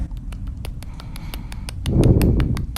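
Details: Sharp, even clicking about six times a second over a low rumble while turning fully; bad CV axle on the side toward the turn, can break and strand the car; replace the axle.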